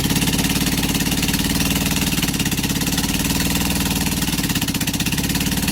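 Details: Rebuilt LADA RX engine, possibly 1.8L with a new camshaft, running with no exhaust, just the manifold. Only one spark plug is connected, so it fires on a single cylinder. Loud, slow, uneven chuffing with a sharp pop each firing and big gaps between; it still needs valve, carb and ignition adjustment.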